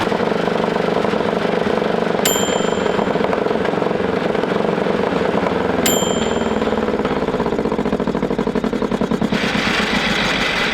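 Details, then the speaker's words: 1941 Caterpillar dozer, sat for a few years: main diesel cranked via the pony motor, fast steady cranking with occasional pops that never catch; fuel starvation suspected, possibly plugged fuel filters. "It's fueling some. Yeah, cuz it's popping. Are we getting enough? So, the main motor didn't start. No, it was just trying to."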